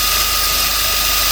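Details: Bench grinder with a newly fitted linisher belt attachment at full speed: steady high-speed whir with a clean, even tone and no knocks or flutter; the belt runs true and smooth.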